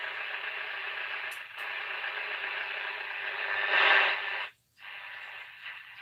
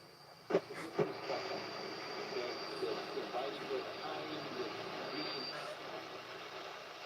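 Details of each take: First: Radio reported to receive AM fine but FM poorly; tested on AM: thin, narrow-band audio over light hiss with a short dropout while tuning, pulling in AM stations normally. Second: Radio on long wave: faint broadcast buried in hiss with a thin, steady high whistle on top; weak reception with whistling interference. Cause not confirmed.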